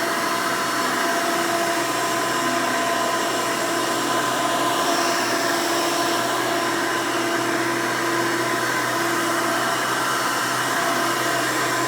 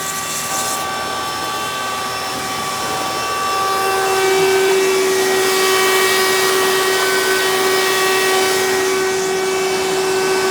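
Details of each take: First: 1992 Hoover Elite II Total System Performance 650 upright vacuum, model U4689-910, in floor mode: steady even motor whine with no wavering, rattles or grinding; motor runs smooth, untouched since purchase. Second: 1992 Hoover Elite II Total System Performance 650 upright vacuum, model U4689-910, in direct-air hose tool mode: steady hum with strong high whine that rises then holds; abnormal motor noise, may need motor work, fine in floor mode.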